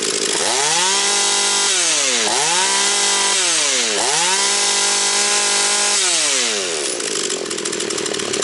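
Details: Husqvarna 240 chainsaw after rebuild, still breaking in, idle to be raised: high-revving two-stroke dips in pitch under each cut and screams back up between them, pulling strongly and evenly; smoking slightly afterwards; healthy, well-tuned saw.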